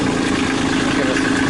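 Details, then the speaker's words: Kubota B2650 diesel tractor at its 100-hour service, idling at low RPM just after starting, before a PTO interlock test: steady, even diesel clatter with no misses or hunting; normal idle. "we'll give it a second here to run."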